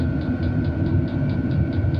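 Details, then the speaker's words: Cheap Chinese diesel heater running on the H setting after startup: quick, even ticks about four or five times a second over a steady fan hum, slowing when turned down. Normal fuel pump pulsing at the high setting. "okay so I can hear sounds like the fuel pump is going"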